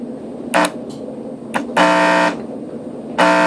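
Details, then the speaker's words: Graco paint sprayer pump motor, recently serviced, fed power in short bursts: harsh electric buzzing as it strains but never spins; motor locked up with something stuck inside, cause unknown, needs a new motor. "so as you can hear it's trying to force itself to move and there's just something stuck inside of there it's beyond my understanding of what causes this but I do know this that's not normal"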